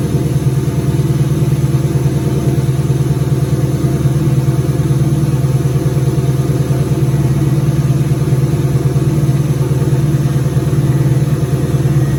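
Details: 2003 turbo Mustang Cobra V8 idling after reinstall with new valve cover gaskets, about 55 psi return-style fuel, intercooler cold-side pipe disconnected: deep steady lope, even beat, no knocks or misses; normal idle.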